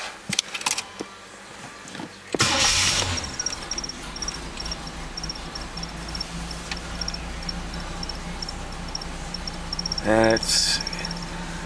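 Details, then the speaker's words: Cold engine, started once, with dual aluminized exhaust replaced a few years ago: catches cleanly and settles into an even, steady fast cold idle with no knocks or misses, then drops to a smooth idle; normal cold start. "It starts up, it does its cold idle, and then drops down and idles real nice and smooth."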